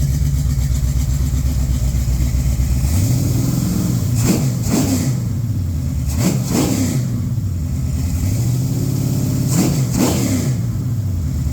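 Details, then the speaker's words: Mild-build 1972-casting Mopar 340 V8 bored .030, Summit flat-tappet hydraulic cam, 2.02 heads, Street Dominator intake, Holley 600, run at -15 °C; even idle with several clean blips, no knocks or ticks; smoother cam than usual, sounds okay; normal idle and revving. "Little smoother of a cam than I'm used to. Still sounds okay. Sounds like a 340, I think."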